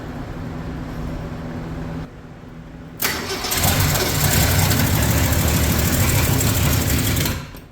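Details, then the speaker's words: 1965 Mercury Comet Caliente, not run in 10 years, fed fuel by a spritz into the carburetor with no fuel system fitted; it catches on a loud burst, then runs ragged and uneven, so rough running from ignition timing that is off. "Timing's definitely off a little. Okay, so I believe I've retarded it a little bit."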